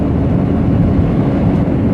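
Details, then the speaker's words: Maruti Suzuki Swift after replacing link rods and a rear shock and fixing brake caliper pin play, on rough road: steady low tyre and road rumble, no knocks, clunks or rattles from suspension; suspension quiet and tight. "ഇപ്പൊ കുഴപ്പമൊന്നുമില്ല വണ്ടി നല്ല smooth ആയിട്ടുണ്ട് suspension ഞാൻ rough റോഡിൽ കാണിച്ചു തന്നല്ലോ"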